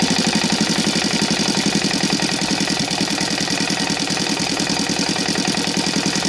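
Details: Saito FA-125 four-stroke model engine converted from glow to CDI ignition, 15x6 prop: fast, even popping ticking over at about 1200 rpm idle, steady with no misses or surges; healthy idle.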